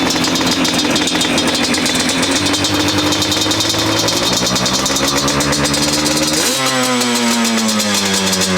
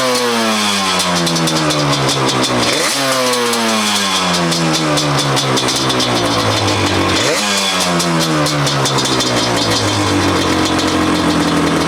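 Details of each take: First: 2005 Yamaha Banshee SE two-stroke after a TORS delete and carb cleaning, pilot air screws set 2 turns out, run without choke: a fast, steady raspy idle that won't settle; the owner suspects the idle screws, not a runaway. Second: 2005 Yamaha Banshee SE two-stroke quad after TORS delete, new drain plug screws and richer 27.5 idle jets: crisp revs climbing and falling cleanly, quick pickup, no stumble or misfire; runs much better, carbs may still need fine tuning; normal running.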